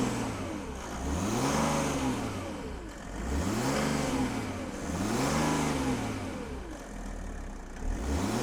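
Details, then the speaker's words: Donor diesel engine in a car bought for a Land Rover build, dealer-maintained with oil changes, microphone near exhaust: revs rise and fall smoothly with even exhaust note, no knock or misfire; healthy, slight rasp when cold. "it sounds really good um a little bit dies when it's cold a little bit you know the the diesel rasp in the cold but once it's warmed up it does sound really good"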